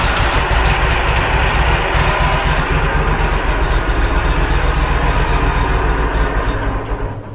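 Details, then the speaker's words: Walker SuperBee 52in rear discharge mower, parked since April, on jumper pack, priming left tank: long cranking at about four beats a second with irregular catching then dying; fuel starvation. "We got to build fuel up. Hasn't rained in a bit. Maybe prime it a couple times."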